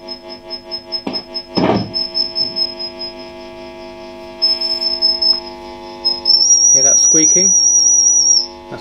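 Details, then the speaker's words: VOX AC10 valve amp from circa 1967 on the bench: thin steady high whistle over hum as it oscillates when volume is turned up. "okay it's oscillating when i turn it up"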